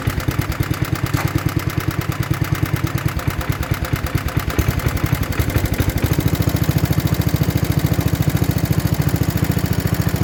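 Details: 1960s Toro Professional 70 reel mower 8 hp single after carb rebuild and fuel system cleaning, fuel on: fast crisp evenly spaced putter with no skips, steadying as it warms; running properly.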